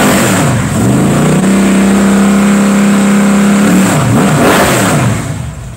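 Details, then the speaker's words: Rebuilt 327 V8 on restart: firm, even lope at idle, revs cleanly and settles back without misses or knocks. "oh mama hopefully you got to hear that oh god that sounds good"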